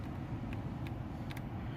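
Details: 2003 BMW X5 heater blower, which had run constantly even with the key out, after fitting a new genuine heater control relay in place of a shorted aftermarket one: steady low hum and even airflow, no squeal or rattle, now drawing much less current.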